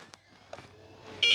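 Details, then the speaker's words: Spektrum NX7e transmitter in the field: after faint clicks, one sharp, high, pulsing beep burst of about a third of a second. This is the critically low alarm. "It's beeping, guys. There's the critically low alarm."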